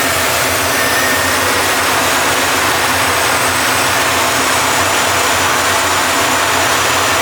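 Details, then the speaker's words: 1973 Impala 406 small-block Chevy V8 after replacing a collapsed lifter and fitting 2-piece guide plates on aluminum AFR heads, total timing about 36°. Steady, even idle under a constant airy hiss on all 8 cylinders while warming up. No top-end ticking. "So this thing sounded pretty good, firing on all 8 cylinders."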